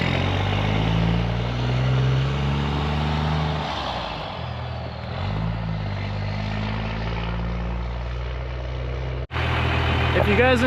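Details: 12-valve 6BT Cummins six-cylinder diesel swapped into a squarebody Chevy Suburban; deep steady clatter settling into an even idle with no misses or knocks; healthy-sounding engine.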